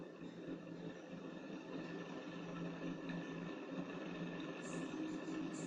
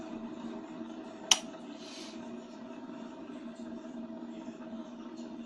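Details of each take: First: 1991 Orient Deluxe ceiling fan, motor base removed, coasting after a hand push: rough, uneven hum with faint scraping instead of a quiet spin; one bearing in bad condition, to be replaced. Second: 1991 Orient deluxe ceiling fan after replacing a bad bearing and a weak capacitor: quiet steady low hum, no grinding, rubbing or wobble; fan runs smoothly without pushing, normal after repair.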